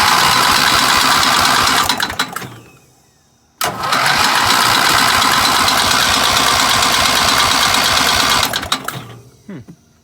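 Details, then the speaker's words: 1975 Gravely 816S tractor engine cranking on a starter swapped from a parts engine after a squirt of fuel: regular heavy internal clank about four a second, stopping when cranking stops; cause unknown, owner fears something like a rod is about to fail. "I DON'T know what that clank is, but that ain't cool, man. That is so weird. I got to diagnose that clank because sounds like something's about to blow like the rod or something."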